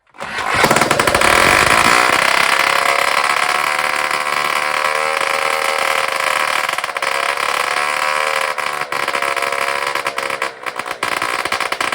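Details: Rebuilt two-stroke moped engine, bench-tested on its original fuel tank before refitting to the frame: sharp buzz catches fast and climbs cleanly through the revs, even note, no misfires; runs normally.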